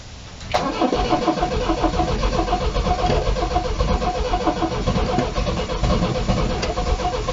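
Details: Long-stored MGB GT restart after blowing out an air filter chewed by mice: the starter chugs steadily and rapidly for several seconds without a clean catch before the engine finally fires; long cranking.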